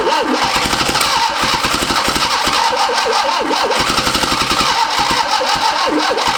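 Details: Barn-find 1971 Fiat Spider 850 four-cylinder, unstarted 30 years, cranking with makeshift plug wires while timing is adjusted: quick, even starter chugging that never catches; turns over freely but gets no fuel, before a temporary fuel pump is rigged.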